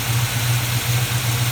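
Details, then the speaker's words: Plymouth Duster carbureted V8 (Holley) idling after carburetor repair, before reaching temperature, plugs still loaded from running rich on the drive home from Huntsville; steady smooth low rumble, even firing, no misses or knocks. "i had to drive it all the way home from huntsville we left at home running like that it seems to be doing just fine now"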